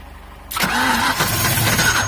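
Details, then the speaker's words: 1990 Mustang GT, first start after swapping in a replacement 5.0 V8 because the old block seized, with a non-carbureted manifold: cranks briefly, catches cleanly and settles into a smooth, even idle; sounds really good. "finally got it up and running we still got some gangsta workout she sounds really good"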